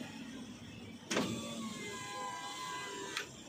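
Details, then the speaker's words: 2023 Toyota Avanza G 1.5 A/T driver-side front power window after tightening the loose rail bolts: smooth, even motor whir down with a soft stop, the earlier click gone; normal operation. "aman naik turun naik Oke sudah beres"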